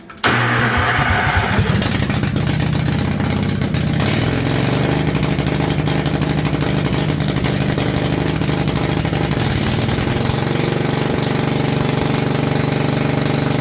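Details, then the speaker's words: Homemade pull-behind brush mower built in 2023 from an old Craftsman riding mower with a 50" deck. It cranks, catches and holds a loud, raw, deep-barking idle, slightly choked. No muffler is fitted yet. "Sounds like a derby mower right now, but there's a muffler over there. You know, I'll get it put on sooner or later."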